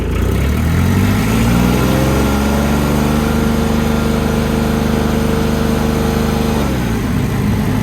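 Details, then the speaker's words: Diesel machine in a yard: engine revs up, holds a rough, rattly drone, then drops back; sounds harsh and unhealthy, cause unknown. "you're listening with headphones on that sounds absolutely horrible"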